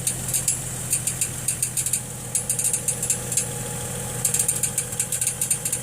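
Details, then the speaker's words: 2006 Chevrolet Trailblazer, heard from underneath with inspection panels off, after dropping into gear to take off: light metallic tings in uneven bursts over low idle hum, like a marble in a tin can, triggering knock sensor codes; torque converter bolts tight; marks seen on flywheel, starter pinion striking flywheel. "one thing i have noticed if i shine this light at certain angle with the camera here on that flywheel there is some marks back there"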